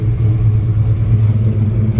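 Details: 1965 Chevrolet C10 Fleetside, high-performance small-block Chevy (355 or 383 stroker per previous owner), Holley carb, Hooker headers, aggressive exhaust, cold at about 38°F: deep steady V8 rumble held at a fast even idle that never drops; still cold, not warmed up.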